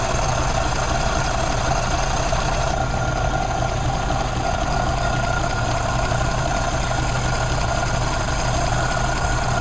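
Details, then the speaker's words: 1932 Ford Model B four-cylinder, warmed up after an intake/exhaust manifold gasket replacement with the bolts retorqued to about 30 ft-lb. It ticks over at a steady, even idle with no hiss or stumble: no vacuum leak, running normally. "right all right well it sounds like it doesn't have any vacuum leaks it's running pretty good I guess it worked for the most part"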